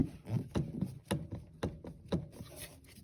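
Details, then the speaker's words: 2007 Mercedes ML320 CDI (W164), air box removed, steering shaft rocked by hand: dull knocking clunks about two a second with felt play, from a worn steering shaft firewall bearing; shaft and bearing to be replaced. "grab it and you especially feel the play inside here and you can also hear the noise from the bearing down"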